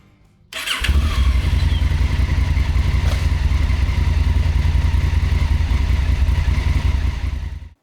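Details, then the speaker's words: Honda Africa Twin starting after oil and filter change (about 4.5 quarts), part of a tune-up with valve inspection: catches at once, settles into steady, even low thrum with no knocks or rattles; clean, healthy start. "And a good startup. I always get so nervous starting up stuff after oil changes."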